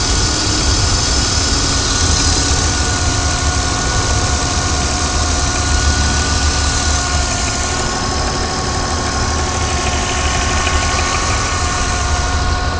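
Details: BMW 323Ci, 220,000+ miles, idling with a steady high whine that stops when the clutch is pushed in and is also present when revving and driving. The transmission also clanks on gear changes; the cause is undiagnosed.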